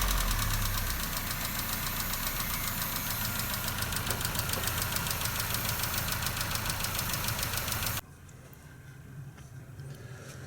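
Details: Nissan Note/Tiida 1.4 CR14DE petrol engine idles with a sharp steady ticking, three to four per second, from excessive exhaust valve clearance (0.40–0.50 mm); fixed with thicker tappets to 0.34–0.38 mm.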